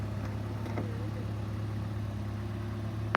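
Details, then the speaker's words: 1987 Toyota Camry LE station wagon, 2.0 L 16-valve 3S-FE four-cylinder at idle: a smooth, steady low hum with no knocks, ticks or misses. It sounds great and runs great with no weird noises. Normal idle. "Here is the Toyota 2 L 16 valve 3SFE engine. That sounds great, runs great, no weird noises."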